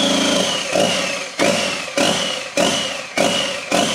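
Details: Worlds-first EcoBoost-swapped RWD Ford Fusion, first start with the motor on a stand in the bay on factory harness, with oil in cylinders from flipping and throttle pedal codes: engine catches with surging bursts about every half second, settling to a rough but running idle.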